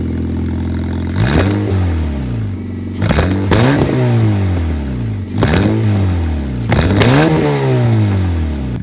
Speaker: but for now guys how about we do another cold start with the open catalytic converter